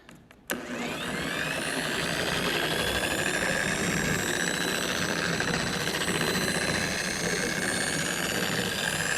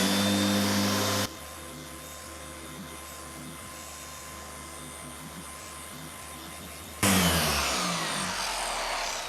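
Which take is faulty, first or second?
first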